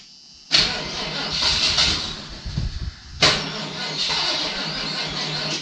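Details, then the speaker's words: Salvage auction vehicle of unknown age, after spraying brake cleaner because it seems not to pull fuel from the tank: two short, sluggish cranking bursts that never catch. It cranks too slowly; a bad starter is suspected, not confirmed. "This was 13 seconds. Yeah, but it should crank over faster. I think it needs a starter."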